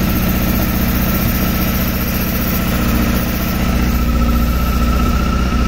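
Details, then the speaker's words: 2007 Honda Hornet 600 four-cylinder during carburetor synchronization: uneven lumpy low idle with a wavering beat that won't settle; leak was heard, then a cut vacuum hose found; rough idle from vacuum leak. "porque aí eu só consegui encontrar porque na realidade eu escutei o barulho né Aí quando eu fui olhar aqui a mangueira cortada"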